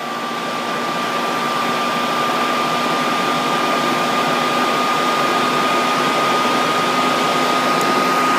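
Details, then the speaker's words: Dell Precision 490 powered on with case open, fan test mode at boot: steady, even rushing whoosh with a faint constant high whine, no ticking or rattle; normal fan operation at full speed. "you can hear the fans really start to crank up to full speed which I'm just going to let you hear this because they sound really quiet but this is how they sound full speed"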